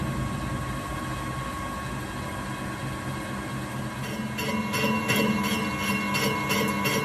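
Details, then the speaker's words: Steady boring-cut hum with sharp clicks about three per second, once per turn, as the lathe boring tool cuts the unremoved internal weld scarf inside fusion-welded tube being bored round for a tool-holder storage tree. "the internal scarf has not been removed in these tubes and you can hear the tool clicking as it cuts into it this is a result of the tube making process"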